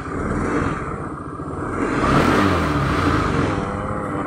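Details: Honda Spacy FI scooter after replacing worn final-drive (gardan) bearings and CVT case bushing, fixing rough-noise complaint: revs up and eases back with smooth, even drive hum, no whine or rattle; normal CVT operation.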